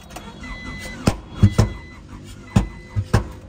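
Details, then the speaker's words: Honda Prelude after new distributor installed: rough uneven running with loud irregular pops and thumps, about six in under four seconds, engine misfire, knocking noted; cause suspected, not confirmed. "we got some power this baby is misfiring you hear the loud pops I I believe that's what that's what it's called a mi"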